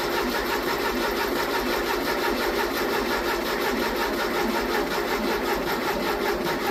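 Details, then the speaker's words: 1982 Porsche 924 Turbo after engine rebuild, fresh fluids and fuel: steady fast starter whirr with no firing pulses, coil wires off so it cannot fire; no oil pressure shown, sender wire found disconnected. "okay I did not see oil pressure come up coal wires off so it's not going to fire"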